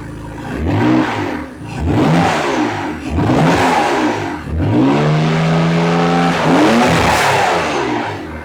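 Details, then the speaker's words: 1967 Ford Anglia 105E with Mitsubishi 6A13TT engine, after rechecking wiring continuity and replugging sensor, bulkhead and ECU plugs: revs blipped, light steady consistent tap under the revs, top-end tick; source not yet pinned down. "and there is still that knock [Music] it's still there little consistent knock cut the tap tap tap tap the tap so at least the engine runs"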